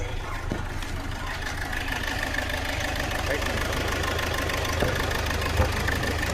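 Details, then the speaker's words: Hyundai Verna automatic, fourth injector not working (diagnosed open circuit), check engine light on, jerking and no pickup: rough, uneven idle with a stumbling, lopsided beat, one cylinder dropping out; misfire from dead injector. "Automatic நாலாவது injector வேலை செய்யல வண்டி missing உள்ள வந்து மாட்டு back light எரியுது பாருங்க yellow colour light எரியுது வண்டி வந்து ஜர்க்கிங் ரொம்ப ஓவரா இருக்கு"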